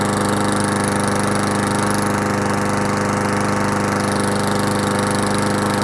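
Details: Push mower after a carburetor service for a no-start, primed three times then started: small single-cylinder engine holds a steady, even putter at constant speed with no misses or surging; running normally again.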